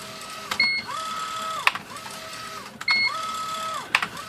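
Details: IBM Wheelwriter 10 typewriter after the binding carrier was fixed (carrier rail oiled and refitted): carrier whirs smoothly back and forth with crisp print strikes and clean returns, no binding or grinding; normal carrier operation.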